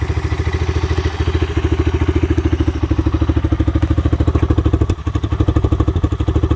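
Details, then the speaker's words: 1985 Honda Big Red three-wheeler, broken-off carburetor part, sat about five years: loping uneven thump about three beats a second that sags and hunts, stalls without choke; carburetor gone through but cause never found. "yeah because it'll stall like that and I I went through the carburetor but I never figured out what was up with it"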